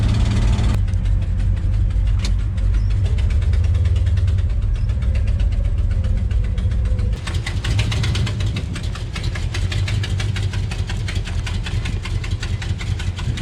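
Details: Modified 1964 Dodge Polara V8 at low idle: deep, loping, choppy beat that sounds close to stalling, but that is just how its aggressive cam is set; normal.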